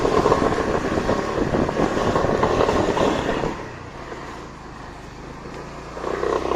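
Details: Brand-new Kymco X-Town 300i scooter, 500 km: harsh buzzy rattle while accelerating, quieting as throttle eases, then returning; fixed by disconnecting a power capacitor cord behind the cooler's plastic cover.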